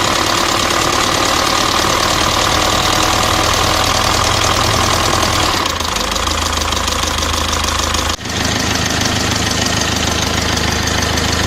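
Diesel idling with a steady, sharp knock of roughly three beats a second above the normal clatter; a knock whose cause is unclear.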